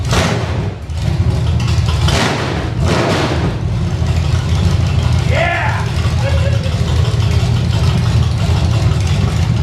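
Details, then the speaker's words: Engine from Creampuff (squarebody truck) running on a test stand with open headers and no load, water pump belt off, briefly on leftover carb fuel: deep, steady open-header rumble at fast idle, even firing, no knocks or misses; sounds better than ever, snappy, normal running. "And being open headers and no load on it, this motor sounds way better than it ever did. That's awesome. Pretty snappy."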